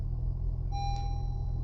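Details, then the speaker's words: Honda CR-V after new spark plug for P0303 cylinder 3 misfire, battery not yet replaced: steady, even low idle rumble with no shake, faint single tone; misfire gone, dash warning icons still on; normal idle. "It's not shaky anymore, but everything else is still there."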